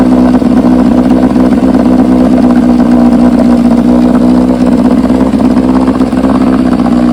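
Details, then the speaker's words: 1968 Johnson 9.5 HP two-stroke outboard in test barrel after universal pulse fuel pump upgrade replacing a dead-diaphragm pump: steady even buzz, no misses or knocks; runs really good. "Give her a little start here. mean, she runs good, really good."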